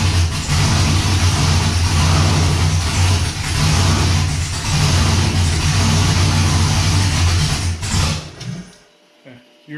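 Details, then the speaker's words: Cold first start of an LQ4 V8 swapped into a 1985 Pontiac Trans Am, fuel pressure holding: it rumbles strongly for about 8–10 seconds, then sags and dies; a data log pointed to a coolant timing multiplier in HP Tuners; noted as lean-fuel stall. "you guys probably saw in the last clip that the thing was firing up and it would run awesome for like 8 to 10 seconds and then it would nose dive"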